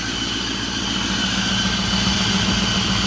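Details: 2008 Ford F-350 Super Duty 6.4 diesel at idle after both turbos were replaced for power loss: loud constant high whistle over a steady idle; source still being diagnosed, with the turbo actuator area being checked.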